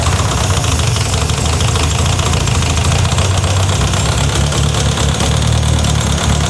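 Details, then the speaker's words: Renault 5 GT Turbo on first start in five years, rebuilt turbo: rough uneven idle with a loud fast tapping over the rumble, tapping new since Monday; top-end tap, cause not yet found. "What I'm worried about is the tapping noise, which is loud. Which is new since Monday, because we didn't have that on Monday."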